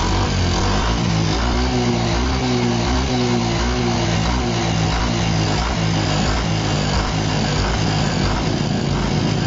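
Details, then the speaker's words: Yamaha Fino 125 before repair: won't hold idle and dies when the throttle is released; a harsh, clattery ticking rattle grows louder as revs rise, with no exhaust smoke, traced to the valve clearance at the rocker arm. "Suaranya parah, semakin digas keras, suaranya semakin keras. Semakin naik RPM, suaranya ikut naik. Suara berisiknya."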